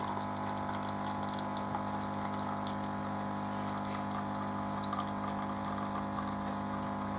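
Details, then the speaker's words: Melitta Caffeo CI coffee machine after repair (it had been humming without pouring coffee); smooth constant pump hum with a trickle of coffee pouring: normal pump operation while brewing. "отлично отлично все все у нас работает заливает прекрасных кофе"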